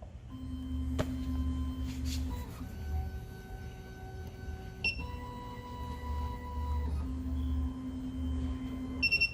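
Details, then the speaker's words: SEC-E9 key cutting machine, final tool length measurement on the cutter side with automotive clamp: quiet motor moves then clear steady beep tones mark each step; normal calibration, machine fully calibrated. "On to the next, we're going to do the cutter. Same step, top left."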